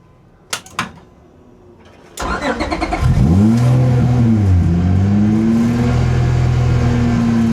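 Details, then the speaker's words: Hasport drag EG Honda Civic swapped from J37 to J35 V6 with new transmission, driven out for a pull: engine fires, revs and holds a raised idle with an uneven, loping beat, running rough though power seems present. "See, now it sounds like it's running rough."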